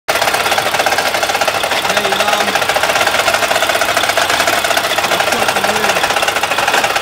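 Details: Mack truck with MP8 diesel engine that no longer builds air pressure: fast, steady tapping knock over harsh mechanical clatter while running; a mechanic said it needs a new motor, cause unconfirmed.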